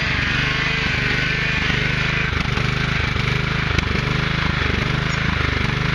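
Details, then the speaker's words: Husqvarna YTH 150 (AYP) yard tractor after carburetor cleaning and new fuel filter and lines: an even, steady low thumping at about 3.5 beats a second with no stumbling or surging; normal running. "I'd say that's not bad I think the wife found a good one"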